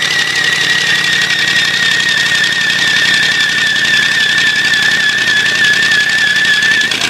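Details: Ford 351W V8 with a spun bearing running hard, overheating with coolant spraying: a hard, fast knock over a steady run plus a sharp high squeal; rod bearing knock.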